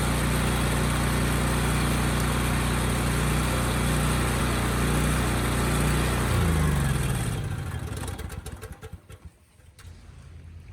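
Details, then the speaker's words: Generator that stopped making power, after brush replacement: steady, even drone at constant speed for several seconds, then winds down when shut off; runs smoothly, fault was just the brushes. "good really dodged a bullet on this one it was just the brushes thankfully"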